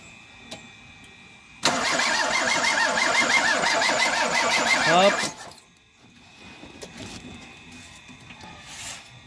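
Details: Toyota Corolla 2E, ignition coil already replaced: steady starter cranking at about three compression beats a second that never catches; crank no start with no spark, distributor pickup coil suspected.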